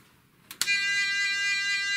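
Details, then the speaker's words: Vintage aircraft fire-alarm audio warning unit on a bench power supply, feeding a loudspeaker through its rear connector. After two clicks, a steady, high buzzing alert tone with a slight regular pulse; the volume can be set with potentiometer PA. The unit works properly. "so you can see that we have effectively an alert sound. And it is also possible to change the volume of this sound by adjusting the potentiometer PA here."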